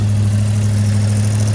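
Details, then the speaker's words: Big-block Chevy with flat tappet cam, run after lifter failure with a worn lobe, about 35 minutes in, oil fully warm, oil filter at 214, coolant about 165–175 with clutch fan cycling, good oil pressure: smooth even idle, no valvetrain ticking; exhaust leak present. "We got no valve train noise. And the oil is way warmed up right now."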